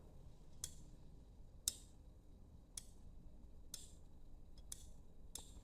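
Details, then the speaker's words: Opened limit switch worked by hand on its roller actuator: six crisp single clicks, about one a second, as normally-closed and normally-open contacts swap and the internal spring returns; working normally. "this actuator, the moment you hear the clicking sound, it means that the normally close has turned to open and the open has turned to close. That is how it works."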